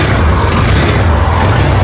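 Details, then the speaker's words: Yamaha Fazer 250 brought in for engine noise, after a new cylinder was fitted and the engine reassembled: smooth, deep, even running with no tapping or rattle from the top end, now completely quiet. "Olha isso aqui. Caraca, mas ficou sem barulho nenhum mesmo. Incrível."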